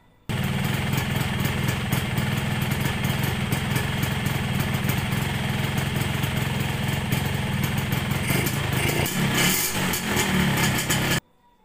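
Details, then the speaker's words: 1997 Yamaha RX King two-stroke motorcycle, idling: harsh, fast rattling knock from the lower engine area; rough sound caused by a loose magneto flywheel nut, fixed by tightening it. "Oke, suaranya ini di bagian bawah ya. Kemungkinan atau penafsiran kita ini di bagian area magnet. Karena suaranya ini timbul di bagian bawah, sejenis kayak ada magnet ataupun bagian."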